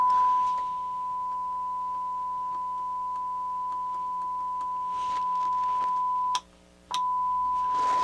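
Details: Toshiba SA-300 stereo receiver after repair, a 1 kHz signal-generator tone through the left channel: clear, steady tone with one brief break, clean output. The right channel earlier had DC on it.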